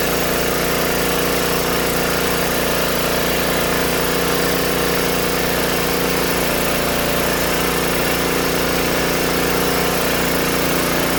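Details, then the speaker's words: Old Tecumseh-powered generator revived after years outdoors in rain and snow, earlier likely flooded from spraying starter fluid; choke fully off, steady even drone with no misses, surging or knocking, light smoke burning off residue; normal running. "Looks like we're doing alright. Just running with all the choke off. Not smoking too bad, burning all sorts of crap off there."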